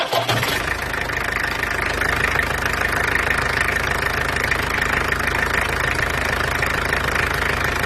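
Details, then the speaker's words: Peugeot 404 LDV pickup, XD2 diesel, second pickup: steady idle with hard crunchy clatter ticking about three times a second, crunchier than the other engine though owner isn't concerned; harsh diesel idle knock. "this one has a more crunchy sound to it than the other one"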